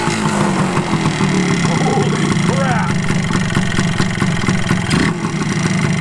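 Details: 1981 Suzuki TS250 two-stroke, after carburetor bore setting corrected, kick-started: crackles into life and revs freely, popping crisply as throttle opens and settling without stumbling; powerful, normal running.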